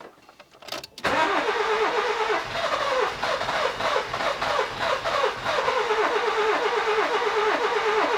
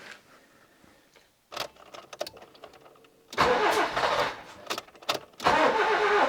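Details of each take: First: Nissan Micra K11 1.0L cranking but not starting; it fired once with spark tester fitted, then returned to no start: starter churns steadily in two long bursts with no firing; no spark, ignition module later found faulty and replaced. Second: Nissan Micra K11 1.0 with a crank-no-start fault, after replacing a faulty ignition module: catches after a struggle, revs in bursts, then settles to idle; owner suspects the hard start came from overfueling after many start attempts.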